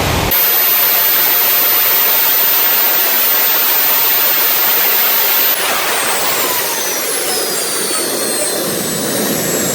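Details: RT130 model jet turbine after rebuild at full power: steady high jet roar with a thin piercing whistle on top; compressor impeller touches the front housing, which owner thinks prevents reaching the set maximum of 120,000 rpm.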